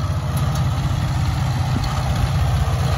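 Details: McCormick Farmall Cub small hand-crank tractor, roughly 1950s–60s, idled down to low idle: slow, even putter with a steady low thump and no knocks or misses; engine idles low and healthy.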